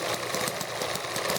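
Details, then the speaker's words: Two small model engines belted together on wooden mount, horizontal engine barely firing because vertical one runs faster, handheld close-up; fast clattery running with irregular sharp thumps from horizontal engine loose on its base. "so the horizontal engine is the just fire a couple times in a row there but it's fairly firing and you hear it make that thumb noise because it's loose on the base"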